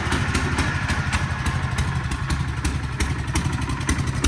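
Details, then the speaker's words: 1967 Sears Super 12 garden tractor with swapped-in engine, first drive test throttled up: rough, irregular thumping instead of a clean rev, engine bogs at high rpm; owner suspects the carburetor needs sorting. "He doesn't like the high RPM. Yeah, weird."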